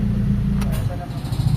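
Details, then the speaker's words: Honda Civic VTEC with idle problem, engine previously died when AC switched off, after repair with AC turned on: idle dips slightly at compressor load then rises and settles steady around 900 RPM; idle now stable. "Ayan drop konti pero tataas siya. Ayan tataas siya sa normal idle 1, to900 RPM. Ayan naka-aircon yan mga boss."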